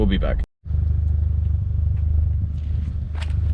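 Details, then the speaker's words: 1993 GMC Typhoon: rough, stumbling idle with backfiring and a lot of dumped fuel, spitting black smoke, starter sticking. Owner suspects timing among other things and is taking it to be diagnosed. "some backfiring and hard idle and a lot of dump fuel"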